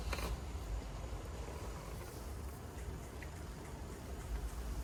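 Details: BMW E36 convertible top motors in the trunk, after the knocking motor's plate was bent back so the gear sits flush and the motors were retimed: steady, even electric hum with no knocking or popping; the top operates properly.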